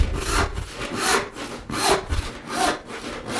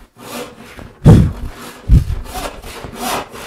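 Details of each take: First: it should run smooth without any kind of rattle or vibration Second: Hand saw rip or crosscut chattering with heavy buzzing thumps. The saw has drifted out of plumb/square, so vibration and rattle increase toward the toe. A true cut runs smooth; the fix is correcting body mechanics and stepping left.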